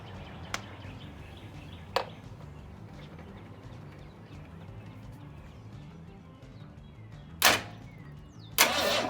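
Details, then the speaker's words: 1962 Ford Falcon inline six after distributor cap cleaning and setting firing order 1-5-3-6-2-4: quiet stretches, then short starter bursts that never catch or fire. Cranks but won't start because there's no spark. "alright let me figure out why this thing's in this park"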